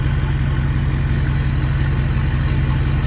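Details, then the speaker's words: Ford F350 6.4 Powerstroke diesel after new turbo install to cure bad seals, cool engine: deep, steady clatter at smooth even idle, turbos barely audible, no whistle or rasp; healthy idle. "Now, what's crazy is like I could barely hear the turbo. Kind of sucks. I mean, I thought these turbos would be loud."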